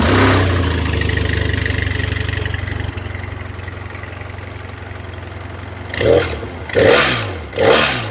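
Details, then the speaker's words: BMW F800 parallel twin, just bought: lumpy, even idle, then three sharp blips that climb and fall back cleanly; an agricultural, two-stroke-meets-tractor chug, running healthy. "Hopefully you could hear that. It sounds a little bit like a two-stroke crossed with a tractor."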